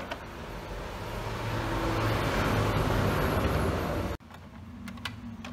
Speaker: How to fix the problem of HP printer dengan masalah yaitu macet, kemudian muncul suara yang sangat keras ya, suara yang kasar, suara gemblodak yang sepertinya suara ini muncul dari mekanik yang ada di bagian dalam dari printer ini.